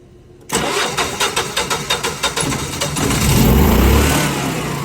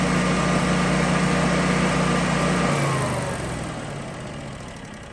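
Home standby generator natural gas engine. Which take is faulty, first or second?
first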